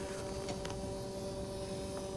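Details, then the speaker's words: Mercedes W124 climate system calling for heat, during poor-heater diagnosis: faint steady two-note electric hum of auxiliary water pump with soft clicks as duo valves cycle to regulate left/right temperatures; normal pump operation. "so currently the system is calling for heat so the auxiliary water pump is running we can definitely hear that running fire and it's regulating the temperature by shutting on and off the duo valves as required for the left and right selected temperatures"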